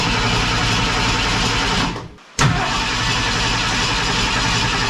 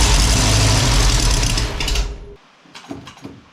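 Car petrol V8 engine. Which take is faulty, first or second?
first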